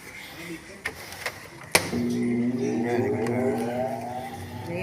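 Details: Automatic washing machine that wouldn't spin, after repair (something had been caught): a few clicks, then motor hum rising steadily in pitch as the drum spins up smoothly; normal spin.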